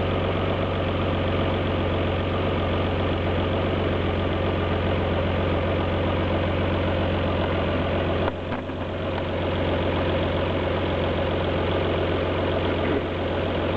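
V6 idle carries a loping, uneven beat with irregular dips in the exhaust pulse, consistent with a cylinder misfiring.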